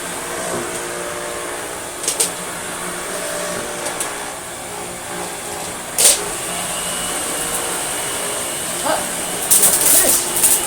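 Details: American Viking 507 Electronic vacuum cleaner (US-market Electrolux), first look: steady high whirring motor runs evenly under a few handling bumps, no grinding or rattles; healthy vacuum motor.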